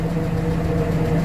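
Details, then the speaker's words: Warm Atomic 4 inboard boat engine idling, pumping cooling water out well, at 40 psi oil pressure; a steady, even, smooth low rumble with no knocks or misses. It sounds much better. "oh she just sounds so much better carrying a good 40"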